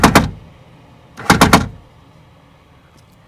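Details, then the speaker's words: 2000 Toyota Camry rear door: sharp metallic machine-gun bangs when raising the window as the power window motor skips on the regulator gear teeth, before regulator replacement. "what we can see is as we actuate this in the up direction, the motor is actually skipping on the on the gearing on the regulator."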